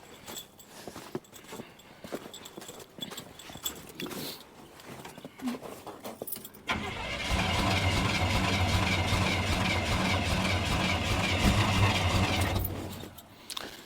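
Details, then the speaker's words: Truck with suspected worn rings, cranked at 28°F for a compression test. Several seconds of steady, even cranking at about 2.5 beats per second; the reading comes up low. "It's definitely that one cylinder that's not firing the truck fire here."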